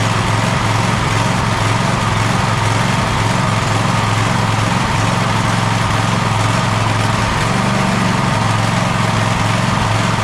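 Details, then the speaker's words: Gravely ZTX 42-inch zero-turn mower at 160 hours, in for engine service, mulch kit recently added: loud small engine with a wavering, uneven beat that won't settle, still running rough after the fuel line was refitted. "yeah I still ain't running just right"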